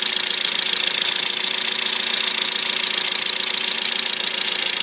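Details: 2008 Mitsubishi Lancer idle, fast even clicking tick about three or four per second, passenger side, after extreme -35°C cold, recorded at -5°C; sounds somewhat diesel-like, fine at 3°C; cause unknown.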